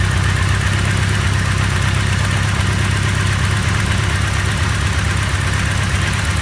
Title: Bad idle, crank vent to intake